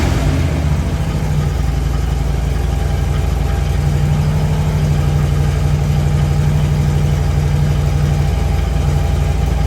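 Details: 2008 Harley-Davidson Road King FLHR after fuel pump kit and check valve line replaced for crank-no-start: steady low, even idle thump with no misses, knocks or rattles; engine runs smoothly now it has fuel.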